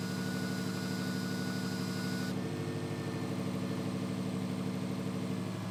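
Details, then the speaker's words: Subaru STI after fixing the exhaust leak at the external wastegate: even, burbly idle with a steady lope and no chuffing. No longer sounds like a tractor; running as it should. "Let's go! Doesn't sound like a tractor."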